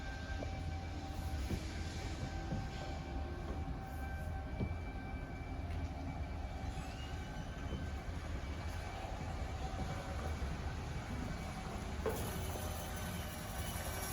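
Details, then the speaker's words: 2024 Forest River Chaparral 254RLS trailer, power awning extending after pressing extend button: low steady motor drone, no stalls, clicks or grinding; awning extends normally. "take that awning push that extend button it's going to start making its way out"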